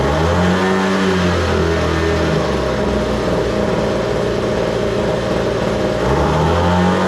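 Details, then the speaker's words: Homelite two-stroke blower after opening the too-lean high-speed screw slightly: loud, steady roar dipping and picking back up cleanly, no sputter or hunting, starts easily; normal running. "I had to open it up just a little bit, but yeah, now it sounds good, and it starts easy, runs good."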